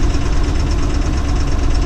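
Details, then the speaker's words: Bone-stock Ford Super Duty with 277,000 miles, driving after codes were cleared while losing oil pressure and missing: a heavy, uneven low rumble with a ragged beat, a rough-running engine about to stall. "It misses now. It's gonna die."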